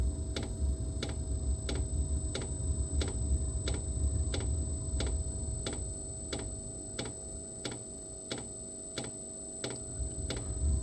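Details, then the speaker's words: Diesel heater restarting after running out of fuel (code E08), on a lithium battery in a cold room: crisp, steady pump ticks with burner rumble fading in and out; uneven firing, owner suspects air in the fuel line. "When I ran it out of fuel, that's what happened. There's probably air in the line, so you're going to hear it go on and off."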